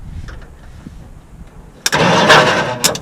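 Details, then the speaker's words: 1959 Ford Fairlane demolition derby car with 1987 Lincoln Town Car 5.0 302 EFI, after sitting: loud churning crank of about a second with a brief catch that dies; turns over but won't start, starter not frozen, batteries suspected weak. "oh come on baby damn it wants to start though yeah so that's better than what we had the other day"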